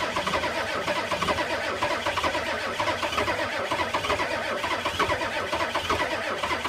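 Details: 1985 Ford F250 6.9 IDI naturally aspirated diesel at -34: slow, labouring cranking pulses continue throughout and never catch. Cranks but won't start in extreme cold.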